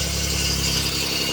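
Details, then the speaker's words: 1989 Chevrolet Celebrity 2.8 V6, 3-speed automatic, brand new exhaust, crankcase vacuum hose capped off to stop a vacuum-leak misfire: even, steady idle with no misses or hunting; running smooth. "Running smooth as ever. Most healthiest 2.8 I've ever seen and ever had. Running smooth as can be."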